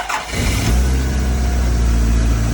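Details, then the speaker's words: Home-built Toyota Celica GT-Four engine on its first successful start after an earlier failed attempt, this time without brake cleaner, so bad fuel was the likely culprit. It catches after a short crank and settles to a steady low idle, then dies; leftover dirty fuel is suspected. "Sounding healthier every time we work on it."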